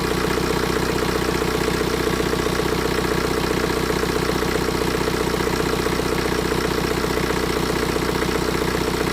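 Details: 2011 BMW 118d E82 diesel that cuts out under load, ECU codes pointing to fuel supply: steady, even idle clatter about four beats a second; sound doesn't reveal it, but back-leak test shows at least two badly leaking injectors.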